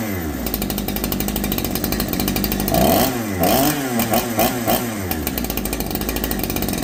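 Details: Holzfforma G372 chainsaw (Farmertec clone), first start after crankshaft seal replacement for a factory air leak that kept it from tuning, chain off, choke off: idles steadily, revs cleanly up and down with each blip, crisp throttle response, unlike the erratic running before.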